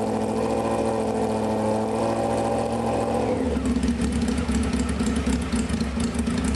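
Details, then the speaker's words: 1995 Honda CBR F3 first start after sitting, wet plugs, fuel spraying, open pipe: loud four-cylinder idling unevenly after rev drops back, raspy and spitting; rough over-rich idle. "It's shooting [ __ ] gas all over the place. Can't believe it's still idling."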